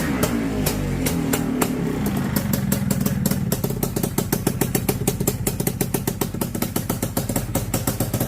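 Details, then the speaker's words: Honda FL250, ice cold start with fresh fuel and battery: fires and settles into an even, steady idle of quick regular beats with no misses or knocks; normal cold start idle, running fantastic. "Oh man, she's alive. Running fantastic."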